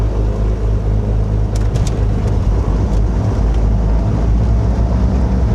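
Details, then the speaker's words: Beechcraft G58 Baron, right engine start after the fuel pump was cycled low to high and the throttle cracked; deep even rumble settling to idle, no misses, oil pressure coming up; normal engine start. "Oil pressure is coming up. I got to an idle."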